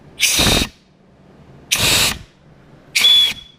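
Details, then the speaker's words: Ford C4 transmission rebuild, air check of clutches and band servo: three sharp hissing air blasts, each under half a second, with a soft thud as the band applies and clutches click in; band and servo apply normally. "So you can hear these things click in with clutches. Okay, you can hear that clicking in. Coming off and on."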